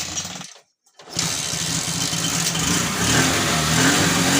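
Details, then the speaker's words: TVS XL 100 after fixing starting problem (wiring checked, armature coil tested, cleaned with petrol, new short-thread plug): starts first kick, steady even idle, head gasket leak stopped, tuning good. "তো এখন দেখো tuning খুব সুন্দর আছে, গাড়ির সাউন্ডও ঠিক আছে, যেটা হেড গ্যাসটা ফ্যাট করছিল সেটাও বন্ধ হয়ে গেছে, এবং স্টার্টিং কোনো ট্রাভেল নাই, এক কিকে স্টার্ট হচ্ছে।"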